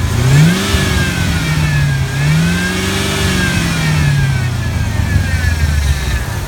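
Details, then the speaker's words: S10 Blazer with 4.8 engine and T-5 transmission, warmed to operating temperature, revved: a thin supercharger-like whine rising and falling with rpm. It is blamed on the power steering pump, with bubbles or foam in the fluid; the cause is unconfirmed. "here that wide that real hype it's almost like a supercharger pulley whine that's even a milder version of what it usually does"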